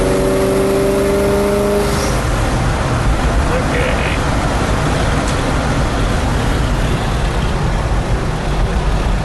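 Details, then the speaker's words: 1979 International Scout II with original 345 four-barrel V8, 57,000 miles, in drive on a road test toward 60 mph: pulls cleanly through the gears into steady cruise under road and wind noise, no knocks or slipping; normal acceleration. "so I think the engine everything the transmission all works good"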